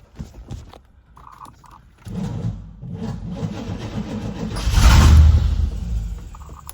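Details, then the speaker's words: 1989 Pontiac Trans Am GTA sat unregistered 17 years: starter grinds slowly and unevenly on starting fluid, labouring, engine never catches; starter sounds unhappy, stuck injectors suspected, not confirmed. "Oh, it's louder now. Come on, baby. That starter seems very unhappy to me. And I think what we're going to have to do is we're going to have to uh shock some injectors."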